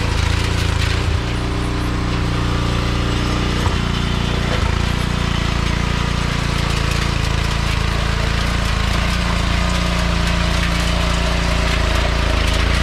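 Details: Troybilt Pony tiller, 5 hp Briggs & Stratton, after carburetor jet cleared with copper wire: single-cylinder engine chugging steadily with no stalling or surging; running fine.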